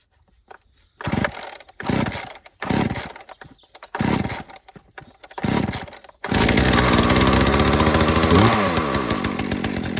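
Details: Poulan Pro PPB3416 (34cc, 16in bar) auction chainsaw after fitting a new HIPA carburetor kit and checking fuel filter and line: several pull-start bursts, catches and revs high, steady clean run without sputtering; normal running.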